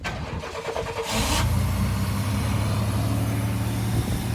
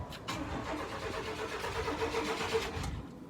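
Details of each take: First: Chevy K1500 pickup that sat for a few years, with a fuel leak just fixed and the fuel pump cycle not heard. Brief cranking, then it catches and settles into a steady, even low idle with no misses or knocks: a normal start. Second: Chevy K1500 truck that sat for a few years, cranked on a new battery: the starter turns the engine evenly for a few seconds without a catch. No fuel is reaching the engine.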